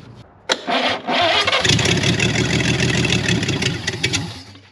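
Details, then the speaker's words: Chevrolet Blue Flame stovebolt straight-six on a test stand cranks briefly, catches cleanly and runs steadily; the massive clunking heard on the earlier attempt is gone, sounds healthy. "I didn't hear any clunking that time that sounds pretty decent"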